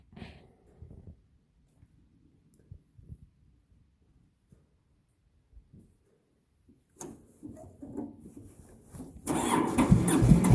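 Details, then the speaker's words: Massey Ferguson 205-4 diesel on a cold, damp day: several seconds of faint cranking, then it catches and settles into a loud, low, steady run; healthy start. "so i finally got the tractor to start"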